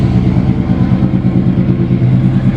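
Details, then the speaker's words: 1994 Chevy C1500, 269,000 miles, carbureted built V8 (BluePrint Engines receipt), just started: deep choppy burble climbing and falling crisply with each throttle blip, firing even and strong; healthy, sounds mean. "wow not going to lie I wasn't expecting that at all wow okay she sounds mean"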